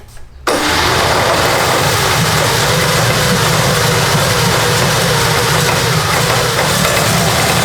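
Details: Custom V8 built from eight Tillotson 212cc go-kart engines, about 100 hp, on a go-kart after ignition repair: loud, ragged roar with an uneven, stumbling beat; running rough on choke and needs jetting.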